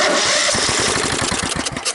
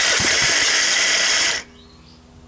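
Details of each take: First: 17.5 hp Kohler engine on a free riding mower left in the weather for years with mouse nesting. First cold-start test, spark plug wires attached, with a squirt of fuel and the carburetor not yet cleaned. Ragged firing pops for about two seconds, then it dies; "it has life". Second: 17.5 hp Kohler riding mower engine, long stored outdoors and mouse-nested. After clean-up, blade clutch and belt removal and a carburetor cleaning, it cranks, catches and runs in short, even, clean bursts. It starts and runs well.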